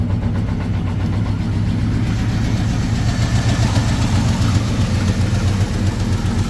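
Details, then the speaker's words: Square-body truck that sat two years, first start on a new battery. A deep, loud idle with an irregular choppy pulse and harsh puffing up front; oil pressure OK. Owner suspects a cracked or leaking manifold or a misfire; rough idle. "Sounds a little angry up front."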